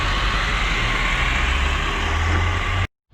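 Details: Tofaş Şahin after clutch repair (failed release bearing and broken clutch guide tube replaced, which had caused noise and no gear engagement): steady even engine note with no knocks, rattles or squeals before switching off; running normally.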